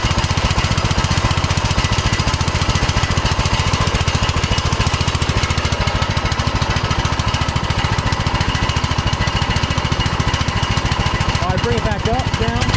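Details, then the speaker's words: 2006 Troy-Bilt Pony lawn tractor with a new cheap Amazon replacement carburetor that has only an idle mixture screw. Loud, choppy, uneven chugging, lumpy at idle and brought up, never smoothing; owner suspects a bad carburetor. "So, uh, well, there's only that one adjustment on this carburetor, so I guess maybe I got a bad cheap carburetor off of Amazon, cuz that's the only adjustment is the idle mixture screw right there."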